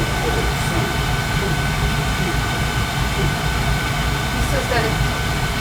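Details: Carlin gas conversion burner on a boiler that had been tripping safety reset, reported sparks; even steady roar, constant low rumble, no surging, popping or cutting out; running smooth now, dirty flame sensor, gas valve or motor suspected.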